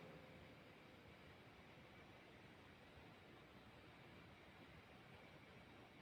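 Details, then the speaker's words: Guitar-effects power adaptor noise test with no external input, measured by smartphone dB meter at 19 dB minimum, 28 average, 33 maximum: only a faint steady hiss with no hum or buzz; a normal, quiet adaptor noise floor. "Kelihatannya tadi tidak ada faktor eksternal, tidak ada input suara dari faktor eksternal di luar apa itu sound control atau speaker atau amplifier, maka didapat seperti ini ya."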